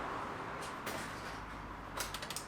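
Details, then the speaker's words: Abandoned turbo Ford EF XR6, blown 30 A fuse bridged: light rapid relay clicks with no starter turning; starter solenoid not engaging because its plug was knocked off during engine line work, then plugged back in. "okay I think what happened there was I heard the relay clicking for the starter solenoid the starter solenoid plug must have got knocked off when I was doing the a lines that run around the engine so I plugged it back in"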